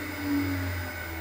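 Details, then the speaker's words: Harrison 140 lathe motor started via microswitch with belts slipped off and oversized pulley fitted, final vibration check: brief steady low hum, clean constant tone, no wobble or beat; no vibration felt. "run the motor and see if i feel any vibration as a final check right put my thumb on the microswitch start the motor feel for vibration nothing so as they say in these parts"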